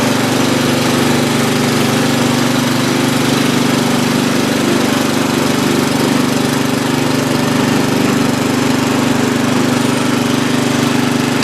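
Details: Free old Lawn Chief (Murray) riding mower, reportedly used last year and needing a tune-up: small single-cylinder engine running steady and even at fast idle with no misses or knocks; healthy after restart.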